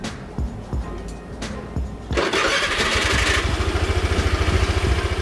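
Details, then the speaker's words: Honda Vario carburettor scooter with bored-up engine, new racing starter motor fitted, stock battery: a few quick starter clicks, then it catches at once on one press and settles into an even, smoother putter; clean, healthy start. "kalian bisa t bisa dengar enggak kalau suara setannya itu jadi lebih halus jadi lebih enak aja didengar ya"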